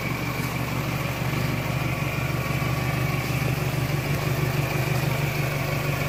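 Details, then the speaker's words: 1998 Toyota Camry after timing belt and water pump replacement; suspected engine bearing failure was actually water pump bearing debris: smooth, even idle with steady low hum, no ticking, grinding or bearing whine; normal idle, phone-recorded. "It runs good. I'm going to start it up here."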